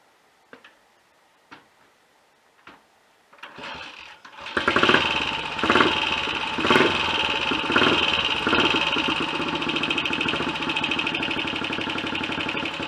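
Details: Royal Enfield Olympic 250 unit single, hard to get a decent tickover: a few kicks, then catches and runs with lumpy surges in the first seconds before steadying; idle won't hold evenly.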